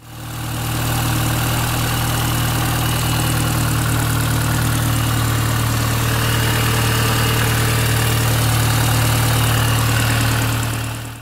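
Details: 2004 Mini Cooper S R53 (supercharged) running, loud even drone with rapid low pulse from under the intercooler; owner suspects a line falling off the fuel regulator, plans to replace it when removing intercooler again.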